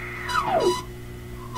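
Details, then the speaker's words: Philips Sonate BA581A vacuum tube radio while tuning: whistling tone sweeps steadily down in pitch as the dial moves, regenerative-type, like the set on the edge of oscillation; cause unclear, possibly needs alignment. "it's a regenerative type sound so sorry let me aim this at least here see if we can get that to really come clear to you it sounds like that that's a pretty weird sound frankly i don't think i've ever heard a radio do that"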